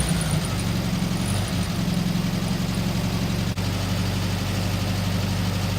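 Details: VW Beetle (Sunbug) air-cooled engine, first run after 30+ years in storage, fed from a small temporary tank: steady low, throbbing idle with an even beat, a little rough but no knocks or misses; running healthy again.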